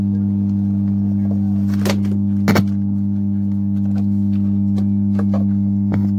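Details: Amplifier with 4440 IC board humming along with the audio: a constant low buzz around a hundred cycles stays steady under the sound. The small filter capacitor is being swapped as the fix. Failed power supply filter capacitor.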